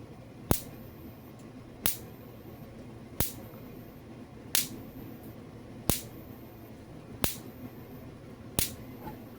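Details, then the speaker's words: Repaired 2001 Gallagher M800 fence energizer, damaged by lightning and fitted with a new main capacitor (old measured 27µF of 40µF): sharp spark snaps about every 1.4 seconds, about 8,000 volts, quiet hum between them instead of the old loud thump; healthy output. "And then, see, it's real quiet. You can hardly hear. The old one would be pow, pow, the thump sound that goes out."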